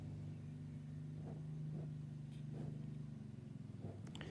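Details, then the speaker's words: 2002 Woolworths 9-inch desk fan running on low and high: steady low motor hum with dull thumps and rattles; sounds horrible but still works. "thing does sound horrible but at least at least it's still going"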